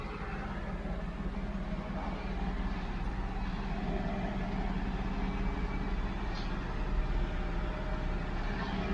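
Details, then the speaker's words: 1992 Mercedes 600SEL with the exhaust leak repaired using new clamps and the air pump shut off: soft, steady low rumble at idle with no puffing or ticking; exhaust now sealed and quiet. "well that is actually quiet yes sir that is finally a quiet exhaust oh God so finally it's quiet"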